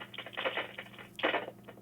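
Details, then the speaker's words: HME HS6000 wireless drive-thru headset with failing microphone, switched on and spoken into: irregular crackling static bursts over a steady low hum; mic needs replacing or rewiring. "These are very expensive, nearly $500, and the microphone goes bad and makes noises. As you can see on this one, it is making noise."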